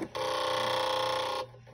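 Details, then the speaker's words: Viking Husqvarna 1100 300th-anniversary sewing machine, condition uncertain: short busy rattle with buzzing whir for about a second at power-on, then quiet; some stitches also make the needle bang; cause unclear. "it's just there's a little banging on that needle on some of them and that rattling when you first initially turn it on and i'll do that again"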